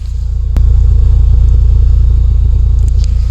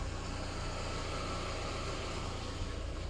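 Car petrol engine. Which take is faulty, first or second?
first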